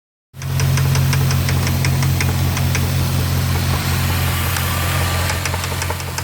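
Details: Jeep Grand Cherokee 4.7 V8 with 158,000 miles, idling with a steady low note and a sharp tapping knock about four times a second, seemingly from the passenger-side cylinder nearest the firewall; cause unknown.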